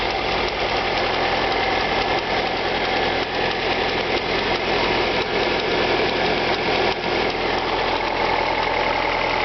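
Cold idle with a light, fast tick riding over the engine, roughly two or three per second, not perfectly even; a ticking top end.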